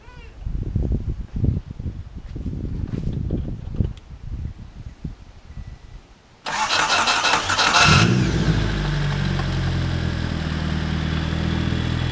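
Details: Honda Civic after fuel-pump banjo bolt leak fixed, new seals fitted, old spark plugs in for a Seafoam treatment: some clatter, cranks, catches quickly and settles into steady, even idle with no knocks or misses.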